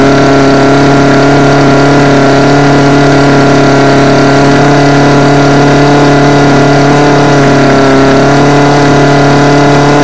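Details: Homelite UT20042A two-stroke string trimmer after carburetor replacement (C1U-H60): loud, steady high buzz holding even speed, no surging or stumbling; running cleanly.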